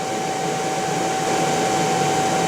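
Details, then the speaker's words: Motor recently rebuilt by specialists, run on a Korean inverter: steady high whistle around 800 Hz over even motor hum, pitch unchanged; owner suspects the motor, cause unclear. "вероятны проблемы в двигателя что там может издавать такие звуки"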